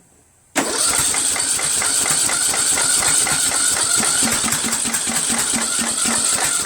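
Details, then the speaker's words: Even, rapid chuffing as the repowered Troy-Bilt 1842 Super Bronco lawn tractor engine cranks on choke with a Nikki copy carburetor and weak battery but never catches; cause unconfirmed, fuel lines from the low tank appeared clogged. "I'm going to try it again, and if this doesn't work, I'm going to try another carburetor."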